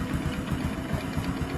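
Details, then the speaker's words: Honda Supra X or Karisma 125 motorcycle with a new NPP cylinder block, idling cold at low rpm: light, fast ticking knock like a loose piston that disappears when revved or once the engine warms. Suspected piston slap, not confirmed. "ada suara tek tek kayak stang seher. Ketika ditarik gas suaranya hilang, Guys. Dan ketika mesin mulai panas suara tek-teknya itu hilang, ya."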